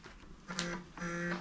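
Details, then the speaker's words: BMW E9 3.0 CSi barn find, not started in over 20 years. Short low buzzing bursts occur when the battery earth is touched on; the owner is unsure whether it is a short or another wiring fault. "cuz when I'm touching that on I'm getting a buzzing noise I don't know whether that's a short or something going wrong"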